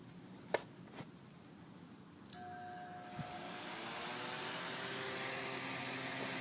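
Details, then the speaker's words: Fan run on a modified sine wave inverter: after switch clicks it spins up with a steady buzzing hum, running inefficiently and hot; on a pure sine wave inverter the hum disappears. "it makes like a humming sound I'm sure you can probably hear that humming sound and and it means the motor is running like super inefficiently"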